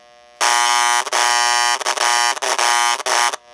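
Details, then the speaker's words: Model 326 Hudson locomotive air chime horn after fitting a new capacitor in the tender speaker: loud, clean two-tone chime toots with greatly reduced generator buzz. Normal horn. "so the buzzing is greatly reduced with the new [Applause] capacitor but the horn sounds just as loud as it was"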